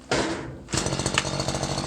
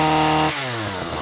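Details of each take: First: Stihl FS 94 R two-stroke single-cylinder air-cooled trimmer that starts then stalls or bogs: catches, surges and sags unevenly, never reving cleanly; the carburetor mixture needs adjustment. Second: Stihl FS 94 R line trimmer, two-stroke single-cylinder air-cooled; after carburetor adjustment, screw turned back clockwise to lean it to smoothest running: clean, steady high-pitched buzz holding its note without stumbling or surging, then easing off; normal running.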